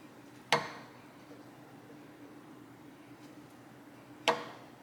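Two sharp plucks, each ringing briefly at a low steady note; the belt tension is right where it should be.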